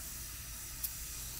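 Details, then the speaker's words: Afghan Kazan aluminum pressure cooker on a wood campfire, first cook: steady even hiss from the vent, which is normal, over a low fire rumble; slight steam hissing from the lid edge fixed by tightening the lid more. "you can see it's coming out of the vent that's normal but you can hear it hissing out of the side just a little bit and you just need to tighten it down a little bit more"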